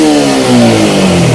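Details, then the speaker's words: Yamaha M-Slaz after engine repair (new cam and head, special valves, original piston, ECU reset, new charging plate): blips of throttle pick up smartly and fall back smoothly with no rattle or hesitation; running okay. "แตะหมืรอบเลยขึ้นได้เลยนะครับตอนนี้ก็โอเคแล้วนะครับ"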